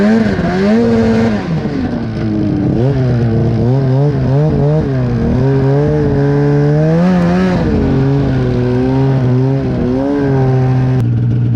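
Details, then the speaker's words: Polaris two-stroke snowmobile in deep snow, just fixed, with new NGK plugs. The engine rises and falls with the throttle, sags under load and picks up slowly. It sounds boggy and short of power; the cause is unconfirmed. "so I'm really not sure how well you can hear it on the GoPro itself but it's just it's like it doesn't have the same amount of power a little bit boggy"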